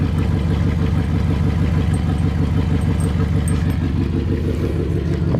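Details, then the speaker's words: 1999 Jeep Grand Cherokee 4.7 V8, 146,000 miles: heavy lumpy idle with uneven low thump about three times a second, whole Jeep shaking; misfire suspected, spark plugs to be changed. "yeah that is not good the whole Jeep is shaking yeah I've got a pretty bad shape to it here"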